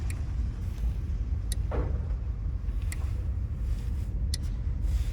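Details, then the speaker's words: Ram towed in with no start: four crisp fuel pump relay clicks about 1.4 seconds apart from Chrysler integrated junction box being toggled, no pump hum after over low rumble; fuel pump not priming, cause suspected, not confirmed. "this one just got dropped off at the from the tow truck it's got a no start condition um you walked up on me listening for the fuel pump relay"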